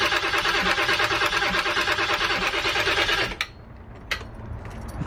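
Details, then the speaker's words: 7.3 diesel van, new starter just installed: starter cranks about three turns a second for three seconds without catching, after air was pushed through the lines to bubble out at the fuel filter bowl. No start from air in fuel lines. "I'm just trying to push trying to push all that [ __ ] air through the lines and it'll bubble up it'll bubble up through the fuel bowl or whatever you want to call it where the fuel filter is"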